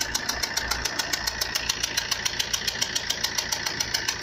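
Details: Fiat Punto 1.3 Multijet diesel idling with a sharp, evenly spaced metallic knock or rattle that began suddenly while driving at 140-150 km/h on the motorway.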